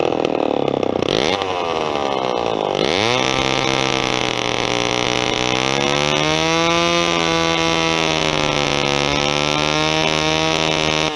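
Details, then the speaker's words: Vintage Homelite XP1020 chainsaw, carb sat a long time, fuel line replaced: fires, dips, revs up but pitch wanders instead of holding steady, running rough; owner thinks it's not air but the carburetor needs a kit. "It's got some balls, I can tell that. Carb's not quite right. I don't think it's air. It's not getting air, but I think the carburetor needs a kit, to be honest with you."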